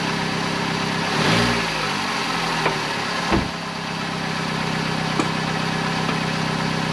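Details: 2008 Vauxhall/Opel Corsa 1.2 petrol after an exhaust middle-section replacement up to the catalytic converter, with the lambda sensor refitted. Smooth, even idle with a soft, steady exhaust note and no blowing or rasping; much quieter, normal.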